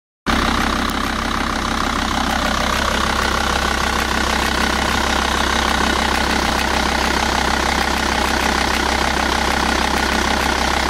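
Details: Volvo V70 TDI (VAG) diesel idling: fast, dense metallic rattle over the clatter, steady throughout; timing belt tensioner rattle, not the vacuum pump.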